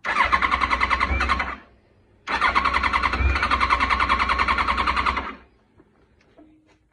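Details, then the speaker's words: 2007 Yamaha FJR1300, won't start without starting fluid, runs lean after the wax valve coolant hoses were replaced, no error codes: two cranking bursts at about 3.5 beats per second, never catching; cranks but will not start. "just doesn't want to start"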